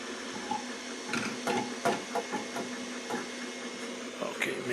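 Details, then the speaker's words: Two Trees Sapphire Plus CoreXY 3D printer with direct drive during its first print: scattered light knocks over a soft hum as the filament spool turns and bangs into the frame extrusion; harmless. "it's coming from this as this is turning yeah that sounds coming from here okay not an issue not an issue it's just the uh spool that's banging into this uh into this Extrusion"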